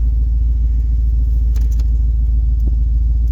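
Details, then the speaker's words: Vehicle cold-started after sitting about a week, idling: deep uneven rumble with steady low puffing from a pretty bad exhaust leak. "it fires up quick it's got a pretty bad exhaust leak on"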